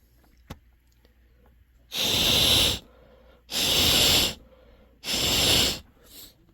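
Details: Honeywell water heater gas control valve, pilot working, set to hot after the second click: three strong, even hissing bursts of about a second each as gas flows freely through the valve; sounds normal.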